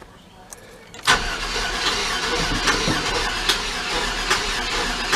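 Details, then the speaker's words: GMT400 truck on bad old gasoline after about 200 miles: starter cranks with an uneven rhythm under a grinding drone but never catches, even in clear-flood mode; owner blames bad gas, later links a cracking sound to #3 intake valvetrain failure. "i won't even crank on it anymore watch this gas is bad"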